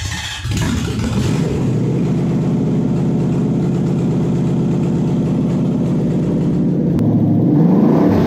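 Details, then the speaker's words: Toyota 1UZ UCF20 non-VVTi V8 test engine on a new wiring loom with stock ECU, first cold start after running out of petrol: catches and settles to a rough, slightly uneven idle; one cylinder has a valve problem. "you'll see that this one's actually running with one cylinder with a valve problem and it still starts and runs like that"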